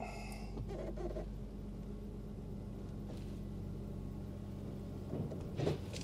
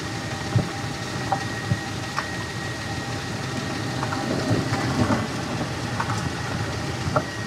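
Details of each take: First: Nissan Elgrand E51 after replacing worn front anti-roll bar drop links, test drive over a bump that always triggered the knock: only even road hum and tyre rumble, no clunk, quiet front suspension. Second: 2005 Nissan Elgrand E51 driving, with the microphone moved to the underside: sharp, irregular clunks roughly every second over low road rumble as the wheels go through bends. Worn front anti-roll bar drop link ball joints are knocking.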